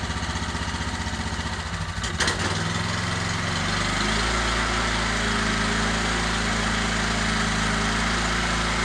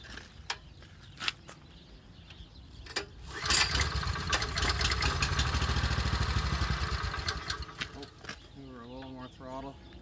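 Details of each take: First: Genuine Honda GX390 13hp engine on test cart before fitting to old Ariens Rocket RT 8020 rototiller, choke on, new pull rope: catches after brief stumble, settles into steady even putter, no misses or knocks; runs healthy. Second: Honda GX390 13hp engine newly fitted to old Ariens Rocket RT 8020 rototiller, testing gearbox and tines: engine swells louder then sags repeatedly, hunting instead of steady governed speed; surging, fix left for later.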